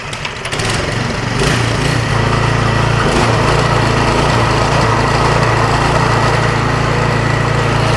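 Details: Snowblower after its loose drive belt tension cable was adjusted to maximum, following belt slipping and stalling under pressure: a steady, even small-engine drone holding speed under load, with no squeal or surging from a slipping belt.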